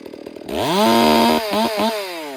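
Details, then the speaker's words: Freshly rebuilt 460 chainsaw being broken in, held at wide open throttle while the high-speed screw is turned leaner: revs climb to a clean, smooth steady scream with no burbling sputter; high-speed mixture set too lean, which worsens once hot. "Now I'm gonna lean it up. You're gonna hear it get really smooth. You don't want that."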